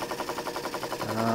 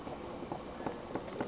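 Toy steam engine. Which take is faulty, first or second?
second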